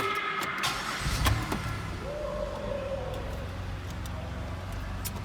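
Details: 2008 Pontiac Grand Prix that had a no-crank condition: it catches after a brief crank and settles into a steady, even idle with a faint constant tone. This is after removing the aftermarket stereo (the cause), refitting the old PCM and fully charging the battery.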